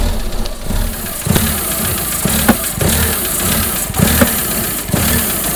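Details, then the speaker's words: Irregular sharp bangs about once a second through a lumpy, rough idle on the engine of a project car that has rough running and sensor errors. The intake pressure (vacuum) sensor has already been replaced, and the source of the banging is not yet found. "so tell where that banging noise is coming from so really can't tell i think it's coming from that is there anything in there that moves"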